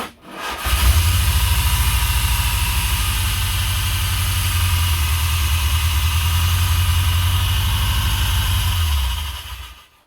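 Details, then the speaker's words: 1980s Chrysler turbo Dodge after starter replacement, cranking at about three turns a second: harsh metallic grind throughout; starter not meshing cleanly, owner suspects flywheel grinding the starter and plans to pull the engine. "But that grinding noise brings some more questions to life. So I did a little research for a few minutes and determined that maybe the flywheel is grinding the starter."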